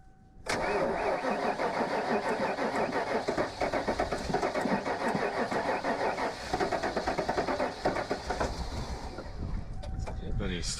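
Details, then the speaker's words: Vehicle sitting about 6 months to a year, key cycled to build fuel pressure: starter churns steadily for about eight seconds in uneven pulses before the engine reluctantly catches and needs feathering; long crank, hard start. "Cycle the key just a couple times to let pressure get up and then try. You'll have to feather it once it starts like that."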